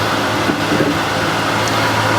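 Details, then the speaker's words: Older wood lathe spindle at about 1622 rpm, compared with a new Harvey lathe at 1639 rpm; a steady even hum with a faint higher tone, average sound-meter reading about 65, similar to the new lathe; normal running. "So the average is around 65 again, so they are quite similar."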